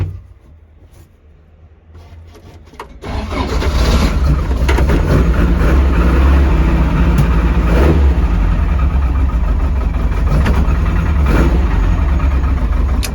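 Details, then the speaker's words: Mk2 Ford Escort with no battery fitted, started on a jump pack: a few dry clicks, then the starter catches and the engine runs rough. The owner suspects the jump pack lacks power. "Yeah, it's strange cuz it did click a couple of times first. Uh I think cuz there's no battery in it, the jump pack's struggling with a with a lack of power."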